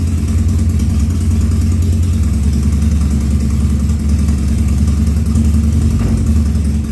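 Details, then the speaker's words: 2000 Harley-Davidson 1200 Sportster, first start after carburetor rebuild (burned slide, backfire damage) and leak fixes: deep even V-twin idle with steady rhythm, no coughing or popping; healthy. "there you go that's uh the first start after the carburetor rebuild and so far so good"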